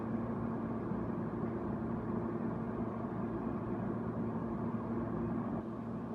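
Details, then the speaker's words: Haier QTPC05AA 5050 BTU window air conditioner on low fan: steady low hum with even airflow rush, no rattles, ticks or squeals; running normally. "[Music] that's the low fan and then this is high fan"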